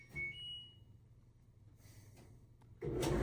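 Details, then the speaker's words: 20-year-old LG DLE2516W electric dryer after replacing drum rollers, drive belt and pulley to cure a squeak: short electronic chirp, then a low, even drum rumble with no squeak, normal running. "This 20-year-old dryer is back in action and sounding so much better, and hopefully we can get another 5 to 10 years out of it."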